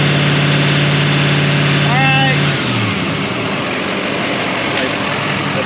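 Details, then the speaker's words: 2020 Chevrolet Silverado 3500 L5P 6.6 L Duramax turbo diesel with new Banks turbo pipes, run to check the lower pipe for leaks: even high-idle rumble and a brief rev, no hiss of escaping air; good under boost. "that stuff Lex when it came under boost yeah this is good here"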